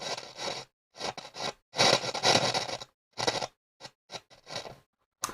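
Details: Hacker Mini Herald RP17 transistor radio: crackly scraping bursts come and go irregularly as the volume knob turns. Suspected dirty, scratchy volume pot, to be cleaned with spray; possible DC on it from a shorted cap suspected.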